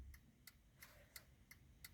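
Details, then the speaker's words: 2012 Hyundai i10 with ignition on, indicator switched on: crisp, even relay ticks about every third of a second in quiet cabin, normal flasher operation; otherwise fast ticking persists despite new relay fitted. "you can see on the dash it actually indicates it works properly and the noise is normal"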